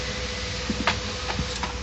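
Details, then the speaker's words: HP LaserJet 1010 printer after replacing the faulty scanner unit that caused a rough grinding noise: soft whirring with a few light clicks as it sets itself, no grating; normal startup noise. "Kalian boleh lihat video sebelumnya tadi yang bunyi kasar dan setelah diganti, nah sekarang sudah kembali normal, tidak ada bunyi berisik lagi dan fix."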